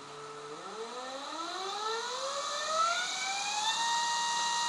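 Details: DC motor driven by a homemade PWM power regulator (chip supply about 9 V): a clean whine climbs smoothly as speed is raised, then holds steady at top speed, with no rattle or grinding.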